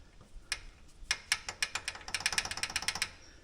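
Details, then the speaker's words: Polaris Ranger 570 SP Premium rear wheel turned by hand in neutral: light metallic clicks in uneven bursts; loose rear brake pads (about half-inch gap) rattling, cause of clicking/rattle while riding, not axles; planned fix is adding springs to pads. "you can see that pad moving well it's doing when they're running hear that this is the sound that we were picking up"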